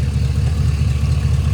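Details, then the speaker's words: Hot-rod pickup V8 after a power cut and backfire on its first major-road drive, blamed on low fuel and a displaced fuel sending unit: warm, steady, even rumble idling smooth as glass, temperature good, a normal idle. "still idling as smooth as glass temperature's good power steering flood looks good"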